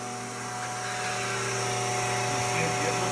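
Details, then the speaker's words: Becker VT 4.16 vane vacuum pump for a thermoforming machine, after about 2 years' shop use, restarted after cleaning and reassembly: steady even hum with clean constant whine, no rattle or knocking; may run slightly more efficiently. "it's probably not a huge difference or anything as might run a little more efficiently"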